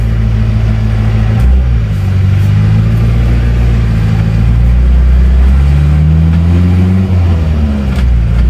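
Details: Isuzu Panther 2.3 diesel after engine repair reusing worn liners: steady, even drone rising and falling smoothly with revs, no knocking; engine smooth, exhaust no longer smoking, ready to drive without break-in.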